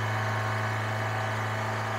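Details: Suzuki Sidekick just fired up cold, no smoke; fast steady idle estimated around 3,500 rpm that never settles down, high cold idle, cause unknown.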